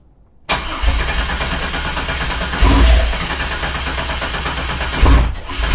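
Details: 1987 Fiero GT with swapped 3800 supercharged engine: steady, heavy cranking churn that never catches; no fuel because the fuel pump is not connected.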